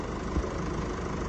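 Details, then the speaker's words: 2017 Mercedes E-Class with OM654 diesel engine, second car running after rocker arm repair for knocking; smooth, even diesel idle with steady low rumble, no knocking or ticking, valvetrain sounds healthy. Normal idle. "okay so we've got the second vehicle up and running as well sounds lovely no unusual strange knocking noises"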